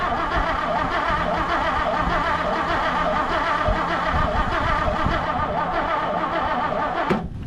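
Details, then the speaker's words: 1959 Plymouth Savoy cranked on a battery booster: long, steady, even churning crank that never catches; engine turns but won't fire. Owner is unsure why and wonders if the starter is going out; it later fired with the choke. "I don't know what's going on. It's also, maybe the starter's going out. I don't know."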